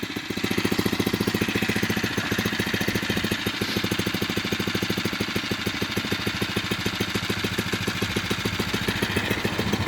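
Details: Phatmoto 79 cc single-cylinder four-stroke Rover engine bike: quick even putter at idle, steady, no knocks or misses; running clean and quiet.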